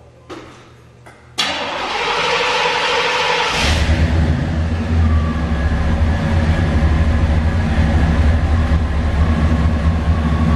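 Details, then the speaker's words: Chevy 305 5.0L V8 with dual exhaust after tune-up with new spark plugs and wires, previously sluggish: brief crank, catches into steady deep even rumble, no misses; running smooth, normal idle. "if you ask me it's running nice and smooth now oh yeah"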